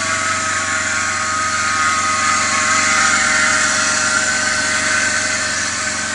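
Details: BMW E39 525i at idle: a steady whirring squeal rides over the smooth idle and never lets up, from a defective idler pulley (Umlenkrolle) on the belt drive.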